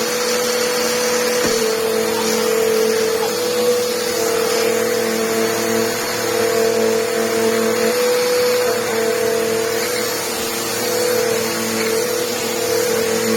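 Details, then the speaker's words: Electrolux vacuum: a steady, even motor hum with a constant mid-pitched whine and no rattles or pitch wobble. Sounds like brand new, normal running. "oh sounds like brand new"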